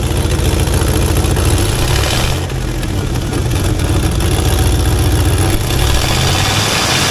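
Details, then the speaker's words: 1985 Monte Carlo with a single-turbo 4.8 V8 and 4L80E, being fixed for not making boost: loud deep idle with a sharp puffing tick on each pulse; exhaust leak, possibly at an unused O2 sensor plug. "Yeah, there's definitely a leak somewhere. Right down in here."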